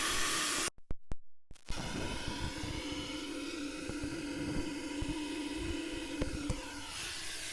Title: Exhaust Leak